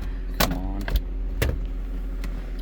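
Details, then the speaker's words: 2005 Cadillac Escalade 6.0L LQ9 V8 after replacing bad injectors and the new plugs they fouled, previously misfiring on cylinder 2: low even idle rumble, no stumble, zero misfires on graph; engine healthy. "so I put the plugs in first so now when I start the car per like a [Music] kitten"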